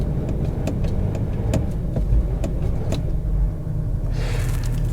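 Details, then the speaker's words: 2009 Range Rover Sport HSE diesel, 182k, bought cheap: after a failed start it barely starts, deep uneven lumpy idle hunting with irregular ticks and thumps and heavy smoke; cause unclear. "not much of it to be honest but we do have a little bit of life this is very lumpy"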